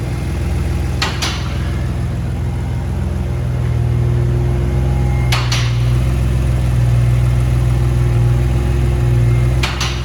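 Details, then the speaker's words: Built, turbocharged Infiniti G35 first start after rebuild, with two-step-colder iridium plugs: steady low idle with a faint chattering rattle underneath and an odd sharp click every few seconds; flywheel rattling at idle, radiator fans running. "that's pretty good for uh having oh yeah fans are working you can hear the [ __ ] collection flywheel that's for sure dude that sounds insane"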